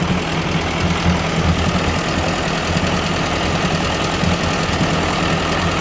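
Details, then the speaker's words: 1957 Ford 841 tractor after a replacement Chinese carburetor was fitted: a steady, even low thumping idle with no misses or stumbles. It is running smoothly. "all right i'm about to fire it up so you can see it actually doesn't sound too bad"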